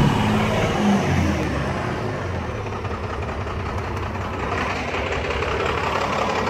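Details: Cummins 12 valve diesel, rebuilt .040 over, timing ~16°, injection pump replaced ~20k ago: uneven loping idle with missing beat that stays rough after revving; misfire worsens after a few minutes running until stalling; fuel filter, lift pump, governor springs replaced, cause unknown.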